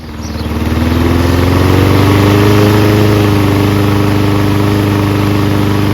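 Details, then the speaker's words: Toro Recycler Personal Pace mower with Loncin engine, just after belt change, started with choke manually closed: small single-cylinder spins up to steady even fast beat, clean tone; runs well, RPM maybe needs slight adjustment. "Sounds good. Maybe the RPM should be adjusted a little."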